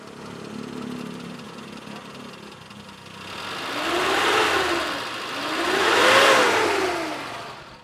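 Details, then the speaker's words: 1996 Suzuki Futura Realvan 1.3 GRV, heard at the exhaust check. Even idle, then two smooth rev-ups with no misses or knocks and no white exhaust smoke; dry, healthy engine. "jadi kalau mesinnya kering suaranya normal stasioner terus gak ada asap putih jadi mesinnya itu udah eh masih kondisi sehat ya"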